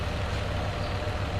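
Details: Two-tub 8.5 kg washing machine after repair, with the missing coupling nut on the spin motor shaft replaced by two new nuts: steady low motor hum and an even, smooth spin with no knocking or scraping, so the spin tub runs normally.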